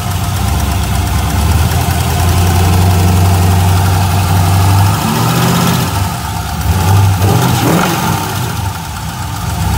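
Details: LS1 V8 with about 1,000-mile valvetrain (LS7 lifters, 7.400 hardened pushrods, .660 dual springs, trunnion upgrade), rockers still tight, runs and drives normally: light regular tick about four per second at idle; owner suspects lifter or spun bearing.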